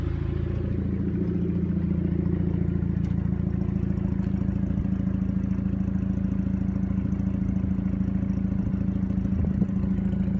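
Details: 2000 Audi A4 1.8T, 110k miles, rough lumpy idle with steady puffing clatter about three a second; ring land failure, low compression (dry 88,88,80,72), heavy blowby and exhaust leaks.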